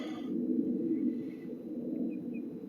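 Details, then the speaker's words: Toyota SC300 at key-on with factory ECU, testing an AEM ECU from a Supra that shows the same fault; steady low fuel pump hum that keeps running without shutting off, cause unclear; fuel pump running continuously. "the supers fuel pump's just going it's not stopping so let's see if yep sc300 still hear it"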